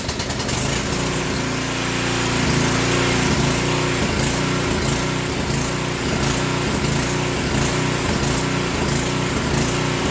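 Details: Portable generator on choke before repair: engine speed rises and falls in a repeating hunt about once a second, surging from fuel starvation through a clogged line and filter. Idle and governor spring adjustment are also being considered.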